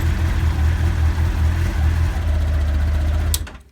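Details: 1989 Honda CBR1000F running 2014 CBR1000RR Fireblade stick coils, fine until a few days ago: low exhaust drone stumbles and drops out unevenly as it revs, then cuts off; misfire, owner suspects it may need new plugs.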